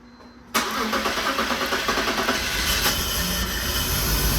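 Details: 2003 BMW 325xi (E46), first start about 15 minutes after installing a new fuel injector: the engine catches into an uneven, lumpy, ragged idle. Owner suspects the airflow sensor is acting up. Rough running.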